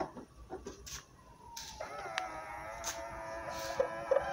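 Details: Car side view mirror squeaking and chirping as its motor folds it, before WD-40 lubrication; dry pivot.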